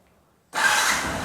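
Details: Yamaha R15 after repairing a no-start (starter button pressed with nothing happening): silence, then the engine catches at once and settles into a crisp, even idle with no misses or rattles; starting problem fixed.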